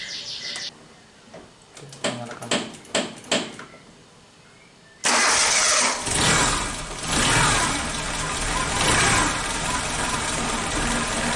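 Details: Suzuki Jimny Katana after timing belt and tensioner bearing replacement and valve clearance adjustment (cold: intake 0.15 mm, exhaust 0.20 mm): several clicks, then starts, revs up and settles into even idle with no ticking or knocking; normal idle.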